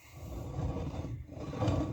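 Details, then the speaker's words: '78 Dodge step side truck during a rim test fit: a rough, scraping grind swells twice as the wheel turns, from the brake caliper rubbing on the inside of the rim. "Yeah, you can hear that grinding. That's that caliper once again grinding on the actual rim, which will not work."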